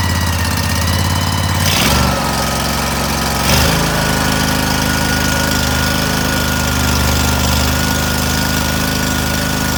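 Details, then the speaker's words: Cub Cadet tractor, Briggs & Stratton twin, after a carb cleaning, running with the airbox off, said to run less well without it; even V-twin hum that steps up twice, then settles steady. "Now we're going to restart it. Uh, it's not going to run really well without the airbox on it."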